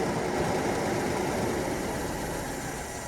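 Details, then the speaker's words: 1997 Mercedes S420 (W140) after sitting for years, with gummed-up fuel system, filter and pump: uneven, lumpy idle with an irregular beat of about three pulses a second; rough idle, likely fuel starvation. "We know this car is going to start, but it's probably going to run like shit. Everything is kind of gummed up."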